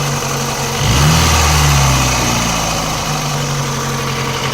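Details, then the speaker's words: VAZ 2109 engine warmed to nearly 90°C, louder when cold; revs then settles to idle with a faint metallic knock; mechanic ruled out the cylinder head, owner suspects a connecting rod in cylinder 1 or 2; engine knock. "кажется, это шатун где-то звенит. Скорее всего. Либо в первом, либо во втором."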